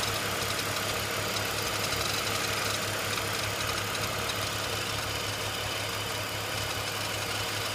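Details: BMW E46 330Ci idling: faint, loose ticking rattle about three per second from the front of the engine; abnormal noise, cause unknown.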